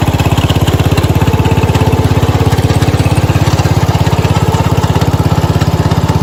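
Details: 1970 Cub Cadet 127 garden tractor single-cylinder engine, restarted, steady low even thumping, no misses or knocks; normal smooth idle, runs pretty good.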